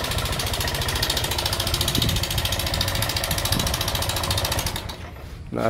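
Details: Honda Vario 125 injection scooter at rough idle with a fast steady clatter of about three to four ticks a second; rough engine noise from a worn rocker arm bearing.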